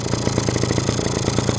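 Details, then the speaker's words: Two-stroke engine after the carburetor was rebuilt and refitted, earlier lean and stalling: crisp, even popping at about ten beats a second holds a steady idle without choke, with no hunting. "Слушайте, интересно даже, стало нормально, смотрите. Работает. Вот сейчас он на холостом ходу работает как должен."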